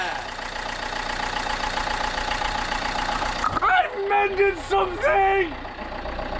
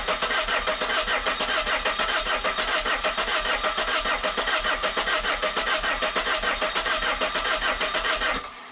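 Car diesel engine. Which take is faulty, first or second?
second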